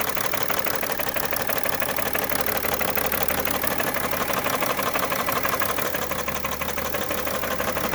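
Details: 2011 BMW 335d diesel bought with a bad knock and heavy smoke: hard, even knock about three times a second over the idle, sharper than normal diesel clatter; source not yet identified.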